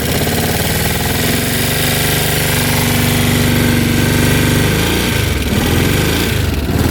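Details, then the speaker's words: 2006 Kawasaki Brute Force 650 ATV, seller said it won't go past 30 mph, idling in neutral while smoking, with oil dripping from the valve cover: a sharp, steady tick over the exhaust beat, roughly four a second; suspected valve ticking. "you can hear the engine's a little wow almost like the valves hear that ticking"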